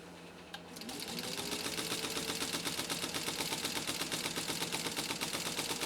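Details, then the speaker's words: Restored 1953 Singer 15-91 sewing machine with potted motor, serviced hook system, sewing after small stitch adjustments: rapid, even clatter of about 160 stitches per minute with a smooth steady rhythm, running cleanly and healthy. "oh i love that sound i'm not sewing very straight but you know what it's fun"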